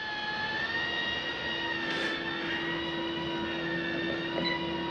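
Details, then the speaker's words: 2019 Grand Design Reflection 315RLTS Max Air roof vent turned on, opening and running: steady even fan hum, constant mid-pitched tone, no scraping or wobble; normal fan operation. "You have your max air vent right here. Just touch on. That is going to open and turn on your max air vent."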